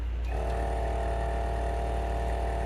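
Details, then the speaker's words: Forward FW 361+ hot plate separation machine, after repair with the screws reinstalled: the vacuum pump runs alone with no suction, giving a steady, even, quiet hum with no rattle. Suction adds only about 6–8 dB, versus roughly 100 dB before the repair. "so as you can see the the difference in decibels was about six to eight decibels"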